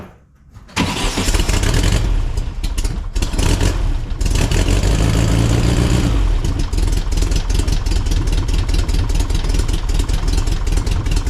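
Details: 1961 VW Beetle air-cooled 1968cc, dual Weber IDF40 carbs, newly fitted MST Renegade serpentine belt for planned supercharger, cold morning start; brief crank, fires and revs, then throaty even idle with steady chuff: normal cold start.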